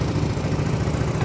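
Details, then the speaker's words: Yamaha Mio Sporty 115 after replacing a rocker arm and a slack, stretched timing chain tensioner (no overhaul): the earlier clanking head noise is gone, only exhaust heard. Even, steady low putter with no ticking or rattling; normal idle. "Okay na po siya. Wala na po yung ingay niya sa head. Tahimik na."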